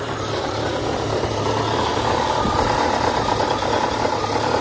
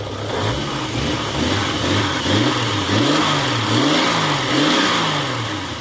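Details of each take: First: 1989 Jeep Cherokee XJ Renix 4.0L I6, AW4 automatic, first start after cracked flexplate replacement: steady idle with loose tinny rattle and dull thump, light smoke from leaked transmission fluid; exhaust suspected rattling against transmission. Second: 1989 Jeep Cherokee XJ Renix I6 (stroker), AW4 automatic, after replacing a suspected cracked flexplate; the engine blips up and drops back smoothly several times with no knock or rattle and sounds healthy. Exhaust rattling against the transmission was noted earlier.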